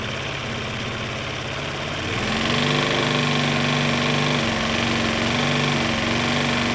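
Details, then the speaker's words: Dumped Piaggio Typhoon 125 scooter just started after a spark plug change, trying to rev it: uneven idle, picks up only slightly and hangs without revving freely; owner thinks the cylinder needs to sort itself out. "see if it lets us rev it a little bit it might do it might not [Music] i think the cylinder needs to like sort itself out"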